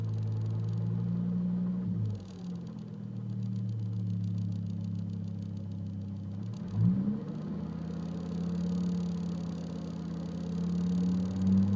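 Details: 2005 Volvo S40 T5, random misfire code P0300: engine note stumbles and drops out unevenly as revs climb, never pulling cleanly; misfiring as revs increase.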